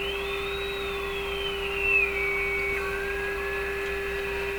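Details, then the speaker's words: Viking Model 54-51 radio during full alignment, fed a signal generator around 10,000 microvolts at 455 kHz: a whistle sliding high to middle pitch over a steady lower tone while tuning, heterodyne from another station producing 455 in the IF output. "you can hear the heterodyning though the tone going up and down as I tuned that's because there's another station producing another 455 in the eye out"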